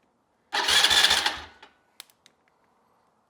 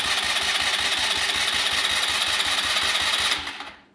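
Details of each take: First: Neglected ATV that sat unused and won't crank; relay terminals jumped, starter cranks about a second, fast and even, then stops; starter good, relay/solenoid suspected bad and to be replaced. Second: Neglected ATV that sat unused: push-button starter now cranks with fast even whirr and regular compression pulses but doesn't fire; carb likely needs removal; normal starter cranking.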